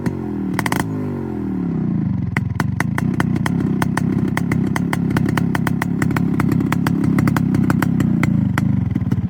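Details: Restored Yamaha RX 135 two-stroke with its original engine and an RX-Z exhaust fitted: after a short blip, a crisp, even ring-ding idle with regular exhaust pops and no misfires; healthy.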